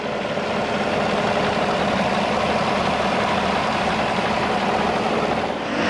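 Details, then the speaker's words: 2015 Chevy truck 5.3L V8 after engine replacement, fresh Castrol Edge 0W-20 and new oil filter, still smoking as it burns off residue: even, steady idle rumble with no knocks, ticks or misses; sounds healthy. "it's still uh smoking because it's burning off a bunch of stuff but sounds really good"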